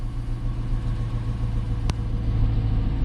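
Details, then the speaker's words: 2018 Dodge Charger AWD police car, engine coming down off high idle before a JDi Ghost Lock fuel pump disable test: steady, even low rumble with no knocks or misses, revs easing down; normal high idle. "come down off high idle before I do this."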